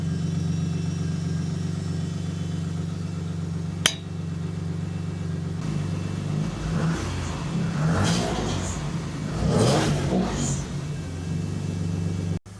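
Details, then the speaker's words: Jaguar AJ30 3-litre V6 (from an S-Type) in an MGB GT, warming up while coolant burps out, alternator charging; low even idle with soft, very quiet exhaust, brief revs, no misfire or knock: smoothing out, idling really well. "Um, but it's sounding really nice. It's it's smoothing out. Um, it's idling really really well."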